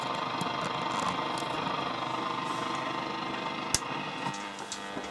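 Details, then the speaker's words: Roberts R500 radio during unboxing, before recap and service: a steady buzzy hum of about 50 Hz under the audio output; source uncertain. "about fifty fifty Hertz buzzing out from the robe and verax"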